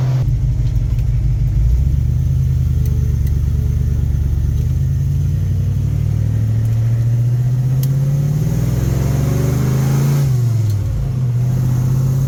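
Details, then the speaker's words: Big-block Ford V8 with 750 CFM Brawler carburetor, fully warmed up after trailer hauling, cruising through town in third gear: deep smooth rumble rising and falling evenly with road speed, no misfire or knock; runs great. "Fully warmed up. This thing runs great. This is just cruising through town in third gear."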